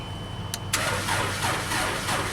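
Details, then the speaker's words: JLG 260MRT scissor lift, jump-started on a dead battery, cranked from the platform controls: steady starter churn for a couple of seconds but no catch; platform controls work, it just won't start, possibly out of gas. "That works. So I don't think the complaint is with the platform controls. It just doesn't start."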